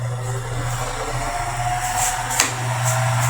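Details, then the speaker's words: Mundial fan with a previously adapted poor-quality bearing: steady motor hum under a hissy, scraping rub with faint rhythmic swishes, worn bearing running with friction, before replacement with a good-quality bearing. "Ó, zoada funciona, porém ele funciona com um barulho de desgaste, rolamento de ma qualidade. Quando o rolamento é de uma mal qualidade, ele funciona com atrito, ele funciona roçando, ele não é silencioso."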